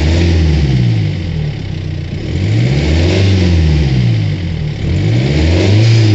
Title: Ford Focus 2 strange noise